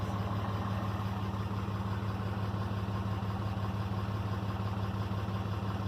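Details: 2012 RAM diesel idling after its failed VGT turbo (HE351) was rebuilt and reinstalled: steady even clatter at about three pulses per second, no misses, hiss or whistle; a healthy idle.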